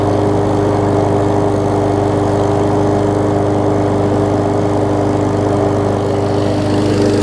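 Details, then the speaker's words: 21-inch Craftsman self-propelled mower after exhaust refit with screw-type bolts, safety-cable zip-tie fix, key-start removal and carb clean: steady, even single-cylinder drone, no misses or rattles; exhaust holding, running well. "Exhaust is holding up really well, which is good, and it runs really well."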